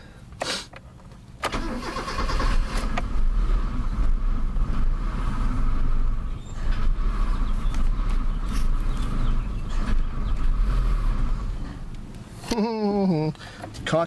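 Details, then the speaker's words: Mazda with P1345 no cam position sensor signal, engine hot after about 10 minutes running: about ten seconds of steady starter churning that never fires, reproducing the roadside breakdown; hot cam sensor dropping out. "well well look at this aha that's what I was going through on the side of the road"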